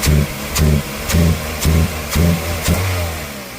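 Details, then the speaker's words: 2001 Toyota Corolla, recently serviced, not accelerating: repeated throttle snaps, each rev rising sluggishly and falling back flat; loss of power caused by a dirty mass airflow sensor, fixed without parts. "So we got a faulty, not even faulty, we got a dirty mass airflow was causing this vehicle to lose power."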